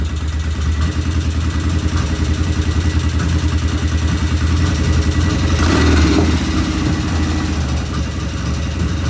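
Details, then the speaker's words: 1975 Norton twin motorcycle, first start after rebuild, checking oil flow: steady idle thump with light mechanical clatter and odd uneven beat; something occasionally not right, cause unknown, one loud tappet suspected; tappets to be rechecked. "One sounds loud, and then we have that occasional. I'm not sure what we have occasional, but something occasionally was not right."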